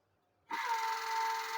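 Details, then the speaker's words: DC compound motor on a practical test bench, wired for compound shunt connection: sudden start settling straight into a steady, even whine with a lower tone under it, running smoothly in clockwise rotation. "Start हो गया, देखिए कैसे घूम रहा है वो, देखिए यहाँ दिखाओ, रोटेशन देखिए किस तरह से है, क्लॉकवाइज है ना"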